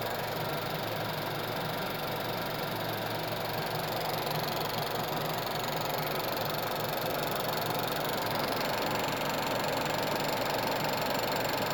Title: VW 1.8T ticking noise coming from Engine driver side. is it Chain or camshaft